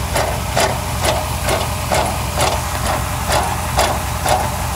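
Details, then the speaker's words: Suburban idling after a starter replacement: uneven sharp metallic raps about twice a second over a low rumble when the pipe is pounded; owner suspects an exhaust leak or a rattling pipe-inside-a-pipe rather than the transmission heat shield, unconfirmed. "you know it sounds like I got an exhaust leak on this thing so I pounded on the pipe here it rattles"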